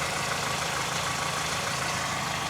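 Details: Toyota 2ZZ engine after timing chain cover gasket replacement, tensioner installed, fresh oil and priming: smooth, even idle with light mechanical whir, no knocks or ticking; engine idling normally after repair.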